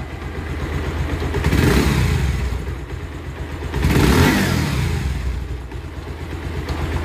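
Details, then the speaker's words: Bajaj Pulsar motorcycle after engine work and full service with new spark plug, air filter and engine oil: two smooth rev blips rising and falling cleanly with no knocking or rattle; normal revving. "একদম সুন্দর সাউন্ড। আর বাইকটি আমরা ফুল বাইক খুলছিলাম।"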